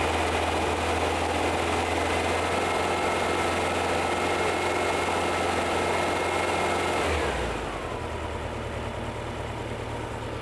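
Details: VW-based Porsche 356 Speedster kit air-cooled engine, test after remote oil filter over-pressurization repair. Oil pressure falling from 50 to 40–45 psi as it warms, no leaks, oil cooler warming. Even idle hum that settles lower after seven seconds; healthy.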